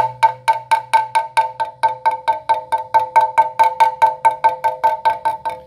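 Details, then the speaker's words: Tap test on S-Works Tarmac carbon downtube, non-drive side, at large voids found by ultrasound scan: steady light tapping, some taps ringing clearly, others duller, tonal difference indicating a large laminate void. "can clearly hear the tonal difference indicating there's there's quite a large void in that area"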